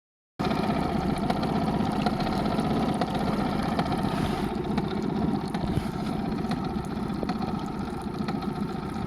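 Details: Honda BF20 outboard running steadily with an uneven tapping mixed into the engine note. A knock from the powerhead or gearbox, cause unclear.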